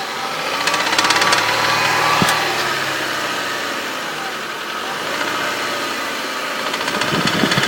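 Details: Hyundai 2.0 16-valve 143 hp petrol engine, 136,000 km, idling: light, fairly quick irregular ticking over the hum; some engine noise, source unclear.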